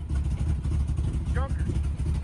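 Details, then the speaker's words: Chevrolet S10 engine: choppy, lumpy lope at idle with the beat swelling and dropping unevenly, sounding like a big cam but lacking power; running rough, cause still being diagnosed. "one day he pulled in and it sounded like he had put a top fuel camshaft in this thing but it doesn't run like it's got top fuel engine"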